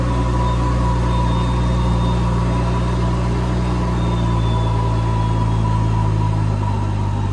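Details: BMW N55 turbo six on a flex-fuel E85 tune with a Beamer Haas intake; owner has had trouble holding boost and is fitting an M2 diverter valve. After startup there is a deep steady rumble with a smooth low drone, no knocks or misses; idling cleanly.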